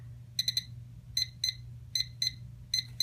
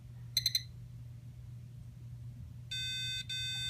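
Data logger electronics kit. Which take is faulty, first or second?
second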